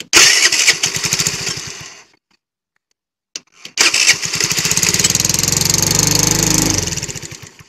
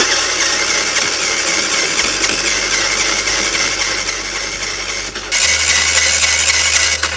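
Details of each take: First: Motorcycle engine that had lost compression from a tightened-in intake valve, after the valve clearance was reset and with the valve cover off. It cranks briefly, stalls, then catches and settles into a steady, even patter with light top-end ticking, running fine. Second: Motorcycle that would not start after a 50 km ride, cranked with the valve cover off: starter spins fast and even with no compression pulses, never catching. No compression from a stuck-open intake valve; owner suspects jumped cam chain timing.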